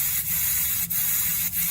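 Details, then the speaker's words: 2007 GM 3.8 engine, cooling system under hand-pump pressure tester at the radiator: steady high hiss with brief dips as coolant escapes; coolant leak, later pinpointed with a borescope. "And you can hear it leaking, and you can see something spraying out. You can see it build up the crap there."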